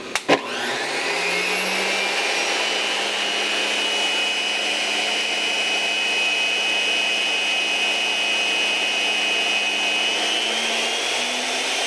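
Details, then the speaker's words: Delta 37-070 jointer motor, after repair and reconnecting a connector, mounted in a chuck; spins up from a click to a smooth steady hum with even high whine, no knocks or grinding: normal motor run after repair. "Let's turn it on. Oh, look at that. It's working like a hot damn."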